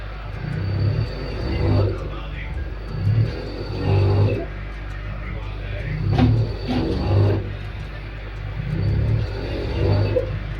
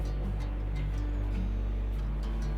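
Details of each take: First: LG 5.5 kg direct-drive front-load washer in spin, with a complaint of abnormal noise and poor washing. Low humming surges pulse about every 1.5 s as the drum jerks. The bearings are fine; the motor is not turning properly because of a faulty Hall sensor. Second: LG 5.5 kg front-load direct-drive washing machine spinning after repair, with the motor refitted and its harness reconnected: a soft, steady, even low hum. Before repair it surged suddenly to high spin and stopped with a noise, traced to the Hall sensor.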